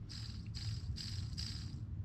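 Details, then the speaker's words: 2017 Giant Contend 3 sealed bottom bracket, dirty and gunky before cleaning and regreasing, with a repeating hissy swish about twice a second as the cranks turn; it caused creaking and clicking; bottom bracket bearing noise. "i mean you can hear that but i'm not sure if it's supposed to make that noise or not"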